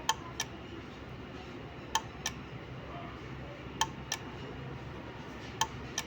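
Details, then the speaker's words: Relay on pin five switching an AC night light in SOS Morse pattern: sharp clicks in three short then three long pulses, 3-second pause, repeating; normal relay operation. "so there will be three short pulses followed by three long pulse so short P is for S and then SOS and then it will wait for 3 second so you can hear the relay clicking so this is like the SOS code"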